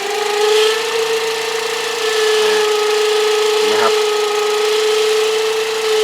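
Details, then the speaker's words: Toyota Vios Gen 2 at low idle: a steady mid-pitched whine that goes quiet when the alternator plug is unplugged and is absent at speed; alternator whine, faulty diode suspected, brushes uncertain. "เสียงมันหอนนะอ่ามันก็จะหอนแบบเนี้ยครับก็เอ่อผมสันนิษฐานว่าตัวไดโอดนะไดโอดน่าจะมีปัญหานะครับ"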